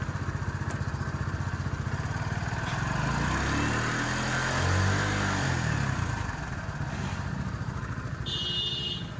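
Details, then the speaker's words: TVS XL100 BS6 single-cylinder moped, which started but lacked pickup, now after ECM replacement and a new set fitted; starts and runs with a steady putter, revs rising and falling smoothly with no stumble or hunting. "இந்த side shield, battery door, டேங்க்கு எல்லா ஃபிட்டிங்கும் மாட்டிட்டு வண்டியை இப்போ start பண்ணுறோம்."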